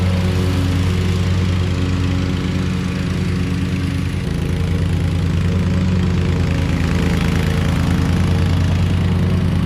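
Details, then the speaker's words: Hustler Super Z mower, Kawasaki engine with 1900 hard hours, test run after 66-inch deck rebuild with new components: steady, even engine drone with smooth low hum, no knocking or grinding; normal running. "i mean this thing is just so great i mean that's 1900 hard hours on that kawasaki and just listen to that thing first"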